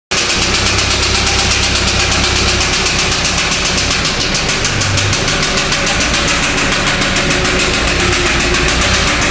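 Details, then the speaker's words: Mazda B2500 Turbo diesel brought in for engine knocking. It runs with a heavy, regular knock, about four blows a second, from a failed connecting rod small end that broke off a piece of the piston. "А виной всему стал разрушившийся шатун, вернее, верхняя его головка. Отломилась, отломился кусок поршня."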